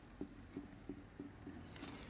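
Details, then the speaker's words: 1947 Harley EL Knucklehead 74ci rebuild, shaft worked by hand with the shim stack changed and about five thousandths of shim in: light regular clicks about three per second. End play close to zero clearance, with some drag. "fingernails pretty close to zero clearance you got decide you want let run at zero or not it's not quite zero but it's basically is it's got some drag on it"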